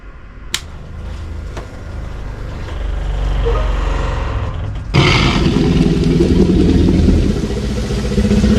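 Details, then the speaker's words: Airstream trailer fresh water pump at switch-on: low, loud growl with coarse rattle about four times a second; worn pump loose on its mount, also a failed internal valve letting city water overflow the fresh tank; replaced. "the problem is with our water pump for one here's how it sounds when you turn it on"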